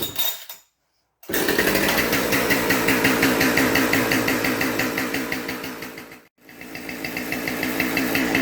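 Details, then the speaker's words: Husqvarna 572XP AutoTune chainsaw with good compression; fast, steady buzzing that holds high revs and never settles to idle. Stuck high idle, cause suspected as carburetor/solenoid or bottom-end air leak such as PTO-side bearing, not confirmed. "So anyway, let me get this thing fired up so you can hear what a high idle sounds like on a 572 auto tuner."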